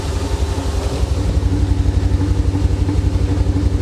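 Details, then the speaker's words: 1985 Chevy Corvette C4 V8 rescued from a Florida swamp, first start after engine work with carb cleaner and WD-40 added, owner had suspected off timing: deep, even burble with no skips; idling cleanly on all eight cylinders. "she's getting there guys that's all eight she's running on all eight"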